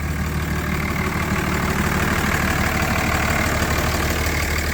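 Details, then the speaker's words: Older Dodge diesel truck at idle: even, steady idle clatter with low rumble underneath, no puffing or miss; sounds good, no blow-by, engine healthy. "I am gonna start it up for y'all to let y'all listen to it. It sounds pretty good. Sounds pretty good."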